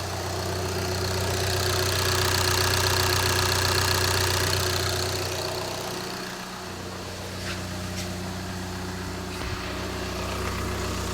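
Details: Diesel TDI at steady idle after installing a downpipe with band clamps over OEM pieces, run briefly in a garage to check sound and exhaust leaks: even clatter about four beats per second, no exhaust leak noise; normal idle.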